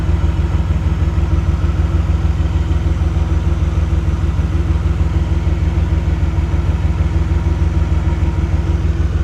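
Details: Rough, lumpy idle on a warmed-up DeLorean engine, pulsing about three times a second with an uneven beat, while a dwell meter is hooked up for a reading; cause not yet found.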